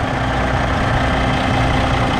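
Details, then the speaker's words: Idling normally after first fuel filter change on a 2022 Kenworth W990 log truck with Cummins X-15 diesel, about 19,000 miles, restarted after six key cycles of priming: deep, steady rumble, even beat, no knocks, misses or hiss; no leaks seen. "I don't see any leaks. We got a little fuel on there, but that was from earlier."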